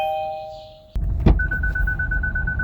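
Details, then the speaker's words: Fourth-generation Kia Sportage: clean two-tone door chime fading out, door thunk, then steady pulsing high chime from the center dashboard alert speaker; working properly. "The center speaker is responsible for all the important alert sounds in the vehicle like the turn signal clicking noise, parking sensor beeps, and the door chime."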